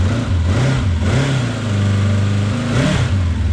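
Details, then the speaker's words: 1983 Honda CB750 Nighthawk, sat about 10 years, first start after reconnecting an unplugged spark connection; deep smooth burble with a light blip, all four carbs working, even firing, no misses, normal idle. "wow it's idling all four carbs are working smells great like success in here"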